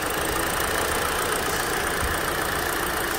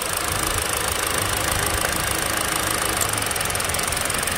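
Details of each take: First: Hyundai Elantra SE petrol engine idling evenly with a steady hum, no stumbles, after an ignition coil wire or injector wire is reconnected; contrasts with shaking misfire from a bad coil, spark plug or injector. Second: Hyundai Elantra SE petrol engine idling roughly with uneven stumbling thump and shaking after an ignition coil wire is unplugged: one cylinder misfiring, steady again when reconnected.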